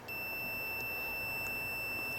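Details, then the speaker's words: Oven controller board relay bench test, meter on inner and outer pins with 9 volts applied to the coil: steady high continuity beep about two seconds as the relay closes, disconnecting when power removed; relay working. "the relay triggers and allows power to navigate from the inner to the outer pins. As I remove power, it disconnects."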